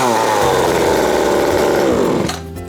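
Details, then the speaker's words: Chainsaw that used to die when revved, after a carburetor replacement and bench adjustment of the high, low and idle screws: fires, holds a steady high rev wavering slightly as it settles; much better, needs a little tweaking. "Needs a little tweaking, but that's so much better, and we spent like $25."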